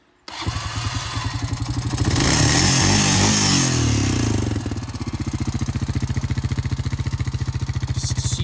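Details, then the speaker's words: Rancher ATV started in 36-degree weather after sitting since November: cranks, catches quickly, brief rev, then steady even idle with no knocks or misses; runs great. "so it's just a little update the ranch are still running great oh hell I'll even start it up for you"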